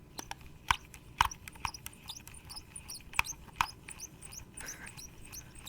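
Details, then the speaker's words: PDP or PowerA wired Xbox controller, lightly used, in a quiet room: short high chirps and faint rubbing as the analog stick is moved, like a bird chirping; squeaking thumbstick, cause unclear. "another little downside about the control pad is that the analog does make a really weird squeaking noise"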